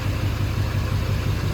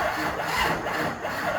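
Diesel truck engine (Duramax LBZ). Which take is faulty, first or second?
second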